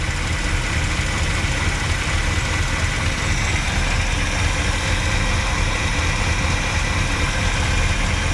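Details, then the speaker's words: 1967 Pontiac Grand Prix convertible, 400 cu in 350 hp V8, first run after years sitting: deep, steady idle, shaking a little, no ticking or valve noise, no fuel puddle; normal idle. "okay no funny noises or anything no puddle of fuel on the ground yet"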